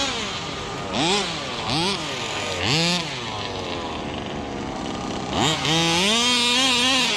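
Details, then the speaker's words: Rovan Baja 5B 1/5-scale RC two-stroke, after revival from neglect: sharp buzz rising and falling cleanly with each throttle blip and holding a crisp high pull; idle good, running strong. "A little more traction on tires, but this thing running good. Sounds good. The idle, perfect."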